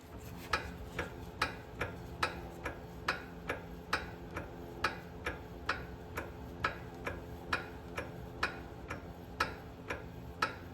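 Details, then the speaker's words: Lexus LX470 with the passenger-side wheel raised and turned by hand: sharp ticks about twice a second, matching the clicking heard on the road; owner suspects brake pads or hardware catching on the rotor. "there all right so that's that's definitely the same kind of sound that I'm hearing on the road"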